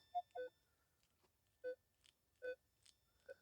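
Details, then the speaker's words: Minelab Equinox metal detector, F2 setting raised to 8: clean mid-pitch target tones with only a faint short chirp from a twist-off bottle cap, coin still heard. "So you're getting a little bit of a chirp. Not much. Still hear the twist off bottle cap."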